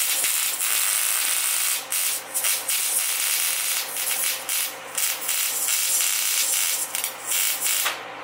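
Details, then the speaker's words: MIG welding on a Ford truck during a Cummins engine swap: harsh crackling fry with irregular pops and gaps; sputtering arc blamed on metal not cleaned or ground enough, slightly rusty. "I don't think in here that in the welder or like sputters and spatter that's because I didn't clean the metal good enough I didn't grind it down enough and give it a good enough surface kind of rusty a little bit but it'll still work"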